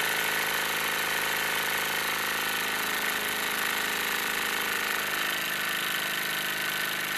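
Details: Wilesco D-18 tabletop steam engine running outdoors in a back garden, throttled down: fast, even chuffing at about 160 beats a minute with a steady hiss; normal smooth running.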